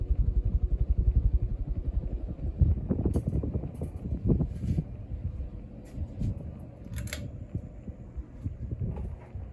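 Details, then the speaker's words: Leslie Locke (Evergo) Saratoga ceiling fan on high speed: low pulsing motor hum and faint buzz with light ticks, much quieter than on lower speeds; the bearing had been noisier before and is expected to get loud again. "Still hums a little bit, still buzzes, but nothing like it was on the lower speeds."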